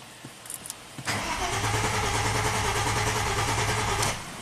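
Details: Engine-swapped 2005 Audi A4 with hacked wiring harness, bypass power feed removed: about three seconds of steady, even cranking that never catches; crank no-start from no power to ECU, starts once bypass power restored.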